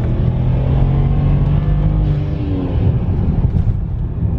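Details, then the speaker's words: Tuned N54 BMW 335i at full throttle: deep roar turns rough and skipping partway through the pull as the car cuts a fuel injector and trips the check engine light; misfire, with one-step-colder NGK plugs then installed. "don't know if you can hear it right now but it sounds really rough the car has a bit of a skip right now what the car did was basically shut off one of the fuel injectors because it sensed a misfire"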